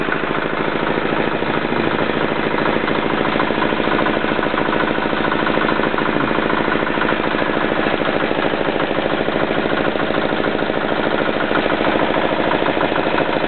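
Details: Yanclone Suntom 186CF 406cc single-cylinder diesel in a Royal Enfield, second test run after rebuild (injector, fuel line, head and crankcase gaskets replaced, valves decoked): steady, even clatter at about 2.5 beats a second, no misses or knocks; healthy idle.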